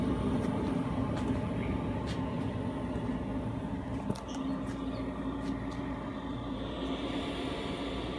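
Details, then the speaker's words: Cheap eBay 12V 5kW diesel air heater on a bench test, switched off by holding the power button: steady fan hum with a faint rattle as it runs its shutdown purge; normal shutdown cycle. "so when you hit the off button they go through like a shutdown process it's like a computer when you shut it down"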